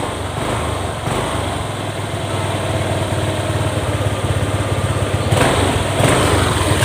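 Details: Honda Click 125 scooter after repair of hard starting (wiring and connectors checked): revs up cleanly several times and drops back to steady idle without stumbling or stalling; idle slightly higher than original, ECU possibly slightly faulty.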